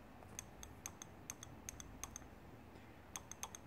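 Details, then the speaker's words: BMW S54 VANOS valve body being cleaned with brake cleaner to remove gunk and sludge, solenoid energized on the bench: crisp metallic clicks, often in pairs, growing more pronounced; sticky VANOS solenoid freeing up. "my clicks are getting more and more pronounced"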